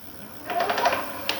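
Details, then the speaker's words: KBO Ranger cargo e-bike, at about 17 miles, under motor power only (not when pedaling, regardless of gear): a quick burst of light, rapid clanking knocks as the motor starts; suspected something inside the motor, cause unconfirmed. "I've tested this multiple ways does not matter for the gear shift or what have you but the engine makes an odd noise when it starts up"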